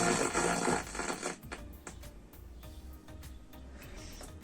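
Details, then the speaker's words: 1970s German Grundig Signal 500 vintage radio on FM at maximum volume: music plays loud about a second then cuts out to a faint steady hiss; amplifier still working, cause not yet found. "so starts singing the music and after a few seconds music is off I can hear the noise the amplifier is working"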